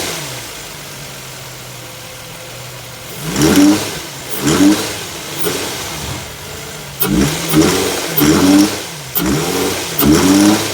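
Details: 2005 Infiniti FX35 3.5 VQ engine, throttle blips: heavy, uneven knocking that swells with revs and dies back at idle; spun rod bearing, engine to be swapped.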